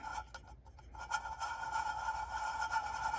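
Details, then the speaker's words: Performance-modified Stihl MS400C chainsaw torn down after a two-stroke oil test at about 100:1 premix damaged it: crank bearing spun by hand gives a faint gritty rasp with an uneven catch, a notchy bearing. "not supposed to sound like that. You know, it's possible, you know, and that's a notchy bearing."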